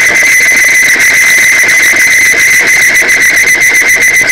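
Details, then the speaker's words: Timken OK load test of Amsoil 10W-30 synthetic oil, three to five weights added: loud piercing squeal with fast chatter as the test block seizes on its ring; lubricant film breakdown. "three weights four weights five weights and as you can hear it's seizing up"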